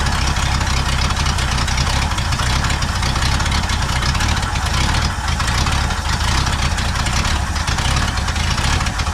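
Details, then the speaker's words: Pontiac V8 with a rebuilt Holley 600 carb and new float valve, freshly filled bowl. Loud, uneven idle with a lumpy, stumbling beat; running rough because the new dry float stuck and the carb is flooding. "running like crap. That's why. Sometimes those floats just stick."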